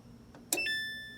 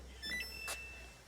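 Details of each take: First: Samsung electric dryer: one sharp click with short ringing tone when start is pressed, then nothing, drum never spins; sounds like board relay but thermal cut-off on blower housing suspected. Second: Samsung electric dryer, after repair of a no-start (clicking on start, thermal cut-off suspected): after a quiet start the drum runs with a steady, even low hum and faint constant tone, heating well; normal running.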